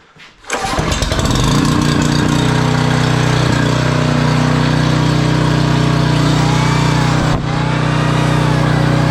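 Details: Generac 5000 W generator, Briggs & Stratton 10 hp, sat for years, restarted with air cleaner back on, drill plugged in to test output: catches within half a second, settles into a steady, even drone holding speed; starts and runs fine.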